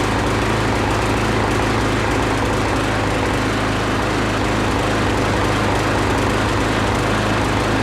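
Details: Husqvarna lawn mower after blade hit something hard and stopped, blade reattached, pull-start: steady, even small-engine drone holding speed without knocks or vibration thumps; runs normally again after blade strike.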